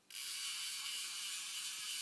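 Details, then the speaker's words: Jigging Master Powerspell PE5 lever drag reel: a fast, fine, high-pitched ratcheting buzz with no grinding, from the double anti-reverse dogs (docking system) moving. The loud clicking is normal and shows the system is working. "you hear those the docking system or the Double anti-reverse Dogs moving and since you hear it moving you know it's working"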